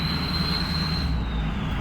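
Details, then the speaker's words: 6.0 Powerstroke diesel with new KC Stage 3 turbo, creeping at about 1100 rpm light throttle: high piercing whistle steady over low diesel rumble, typical loud aftermarket turbo spool; considered fine. "It's creeping to 1100 RPMs and she's just screaming, bud. I mean, it's good."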